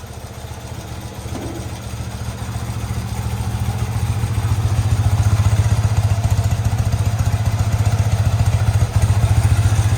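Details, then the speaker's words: Motorcycle (twin) first run after sitting 20+ years, carbs just vacuum-balanced, smoking a little; even, regular low putter slowly growing louder with no misses or stumbles — normal smooth idle. "She's a runner. She's running really good."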